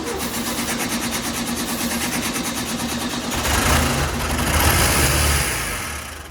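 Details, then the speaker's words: 1967 VW Beetle with varnish-filled, sticking carburetor and good compression, after cleaning and gapping points: fast even cranking, then it catches on brake cleaner as starting fluid and revs with a rough, rising roar. "Woohoo! She's a runner. All right, hit it again. Wow, yeah."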